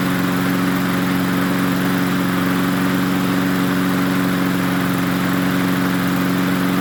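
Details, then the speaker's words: MTD 22-inch push mower 11-A084E029, possibly low on oil: a steady, even drone from the small single-cylinder with no misses, knocks or surging; it runs well, though the mower needs more work. "well it runs pretty good is this the part being low on oil this going to need a lot more work"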